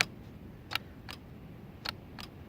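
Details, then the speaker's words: Custom mower switch panel: sharp crisp relay clicks, four in under three seconds, over a quiet background as the blinker switch is used; relay and switch working normally. "you can hear it, the relay's clicking."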